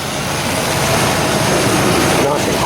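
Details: Chevrolet S10 hunting truck, warmed up to temperature with the thermostat expected open: quiet, steady idle with an even note and no squeal or rattle. The engine sounds healthy.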